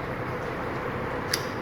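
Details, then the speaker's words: Krisbow pedestal fan speed switch pressed at speed 1: single soft dull click over the fan hum instead of the loud crisp snap it makes when new; owner suspects a switch problem. "Ini masalahnya nggak nyaring. Nah, biasanya tuh nyaring ya, kalau masih baru itu nyaring."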